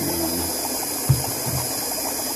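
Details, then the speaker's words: Fuel pump from a GM pump module running in a bucket, powered from a jump box and feeding an external venturi jet pump: a steady whirring hum with fine ticking and flowing fuel that stabilizes after a few seconds, running normally. "after a few seconds it stabilizes and actually flows pretty decently"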